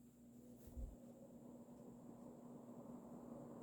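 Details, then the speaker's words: Early-mid 1980s Emerson Casablanca Designer 36-inch ceiling fan CF-2036W, K-55 stack motor, cracked housing, started on high: soft thump at switch-on, then quiet steady low hum with even airy rush; runs smoothly. "It does have a little bit of a startup noise, which is pretty interesting. And now, despite its pretty sad looking cosmetic condition and having that crack in the motor housing, it still runs amazing, which honestly does not surprise me because these fans are such good, resilient fans."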